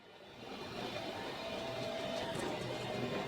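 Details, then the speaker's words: 2024 Jayco Greyhawk XL 32U Class C motorhome on Ford E-450 chassis, bedroom slide-out retracting from extended position: faint steady motor whir building slightly as the room moves in, smooth without grinding; normal slide-out retraction. "So this is the bedroom slide. We're going to retract it. And this is what it looks like coming in. That's what it sounds like coming"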